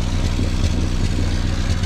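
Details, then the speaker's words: Renault 5 Extra with C1J turbo engine after MaxxECU Mini EFI conversion; a loud backfire during first start attempts (Hall sensor fed 12 V instead of 5 V) blew a hole in the exhaust, location unknown; deep rumble with irregular pops: exhaust leak. "when I was trying to get it to fire it backfired so loud it actually blew a hole in my exhaust I don't know where it's leaking from but I can hear it"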